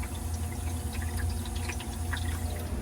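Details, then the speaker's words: Hoshizaki under-counter 150 ice machine, after a back-side fault that sent fill water down the drain: steady hum with water trickling into the sump, now not dumping, so the sump fills for the freeze cycle; normal fill. "Now we're filling with water again, you can hear it."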